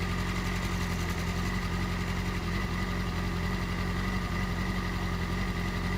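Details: 2008 Yamaha R6R four-cylinder idling smoothly with manual timing chain tensioner correctly adjusted (turned in by hand, backed off a quarter turn): no chain rattle, unlike when the adjuster was backed out too loose.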